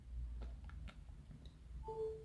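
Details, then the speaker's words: Few soft taps, then a short two-note chime repeating every few seconds as an iPhone 11 charging connection keeps reconnecting while plugged into its charger. "and just like clockwork it will keep doing that every few seconds and it's very annoying"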